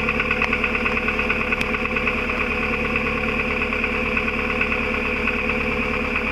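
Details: VW Golf IV 1.4 16v, 102K+ on the counter, idling with sharp throttle blips: metallic rattle just after the engine block as revs rise and fall; exhaust pipe suspected, source not confirmed.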